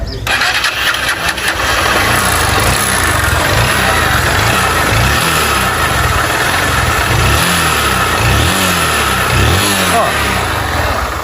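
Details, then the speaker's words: Motorcycle smoking and oil reaching the spark plug: throttle blips bring a loose metallic rattle like a rattlesnake swelling with each rev; worn cylinder and piston, needs cylinder kit. "Quando a gente acelera a moto, pessoal, observou que quando a gente acelera a moto, né, parece até um uma cascavel aí, fica trec t. Não, isso aqui é kit cilindro, com certeza."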